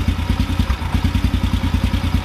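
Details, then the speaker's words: Carbureted motorcycle with the idle mixture screw backed out in half turns beyond 1.5 turns out. The idle goes erratic, then lumpy and uneven with soft stumbles and rich blubbering, way rough; the idle mixture is too rich. "getting worse let's go a little more out now it's real rich kind of blubbering"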